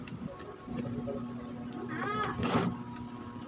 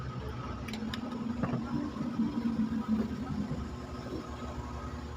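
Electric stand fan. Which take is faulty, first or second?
first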